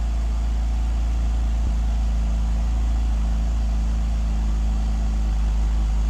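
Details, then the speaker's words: E46 BMW 330i on a cold start after a valve cover gasket replacement (it was folded on cylinders 2 and 3) and idle air control valve work, still on old gasoline: a steady, smooth idle with no misses and steady rpm. Normal idle. "It is idling beautifully. I am super happy about that."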